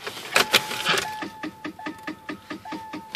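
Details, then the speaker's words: Ford Contour in outdoor storage buried in snow; key turn gives rapid ticking, about five clicks a second, under a faint chime with no cranking, a dead battery (Motorcraft battery indicator orange instead of green). "oh dead battery so that's all fun pop the hood and check it out"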